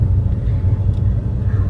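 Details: Suzuki Karimun climbing uphill with the A/C on, after the workshop screwed down a loose dashboard plate that caused a cricket-like noise: deep even engine drone under load with no ticking or buzzing from the dash.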